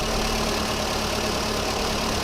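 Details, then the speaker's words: VW Polo 1.4 16v, cold engine: uneven, lumpy idle with a stumbling beat and heavy shake; hydrocarbons reading 5,600 ppm point to a fuelling fault, a leaking, over-spraying injector making one cylinder misfire. "so because we're running on a cold engine obviously it's it's happy to run with a bit of excess fuel but there hydrocarbons at 5,600 are our first indication that we' probably got a fueling issue with this car"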